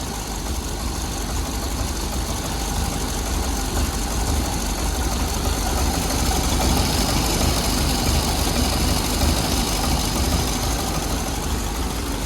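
Old flathead-style engine fires up and settles into a steady, even low rumble at idle; runs smooth and healthy.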